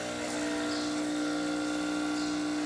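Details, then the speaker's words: DeLonghi Gran Dama espresso machine after full service, pump running through pre-infusion and full brew cycle: steady, even mid-pitched buzz with no rattle or strain; pump operating normally. "Hear the noises of the machine. Be present in this video, and let's begin. You can hear that's the pump running."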